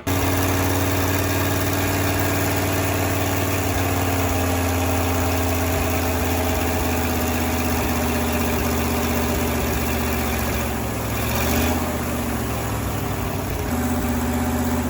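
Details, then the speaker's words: Fire truck V8 at the project's completion, with fluids being checked and the radiator fan not yet installed. A steady, low, even burble with no knocks or misses. The engine idles smoothly and runs good, with a few things still to button up. "we're finished she runs there's a few things to button but she runs and runs good"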